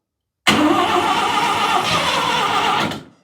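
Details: 12A rotary in a 1963 Austin Healey, first start attempt on makeshift wiring, carb needing rebuild and leaking fuel, running on secondaries: starter cranks, rough raspy burst about two seconds then dies — fires but won't keep running.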